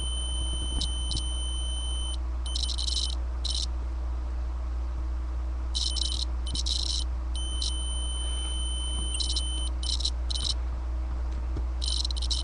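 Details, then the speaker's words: Datsun 280Z ignition switch tested in the run position: tester tone cuts in and out in ragged bursts as the key turns; worn contacts cause intermittent starter clicking and ECU resets. "you can just hear how nasty and whatever the contact in there is in there it's completely just trashed so hopefully this will fix the problem"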